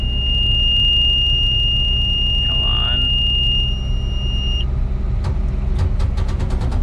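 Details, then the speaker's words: Combine harvesting delayed corn, machine being shut off; over a steady drone, slip clutch ratchet knuckles click at about three per second; a wedged cob is suspected of jamming the return elevator, not confirmed. "we'll shut it off you can kind of hear the ratchet knuckles clicking and uh usually by the time i shut it off it will have stopped"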